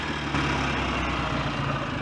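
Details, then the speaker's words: BSA A10 Super Rocket 650 twin, hot, after cleaning the throttle-slide needle and raising it two grooves: steady, even idle with no knocks, misses or hunting; engine sounds good, with no leaks and no smoke. "engine sounds good no leaks no smoke"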